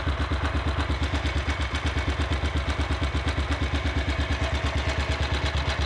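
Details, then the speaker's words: Small single-cylinder engine idling after valve adjustment: steady even idle about three beats a second, no top-end tapping; sounds much better than before, normal idle. "oh and i think i was going to take the electric start of it that's sort of working there that sounds a lot better though"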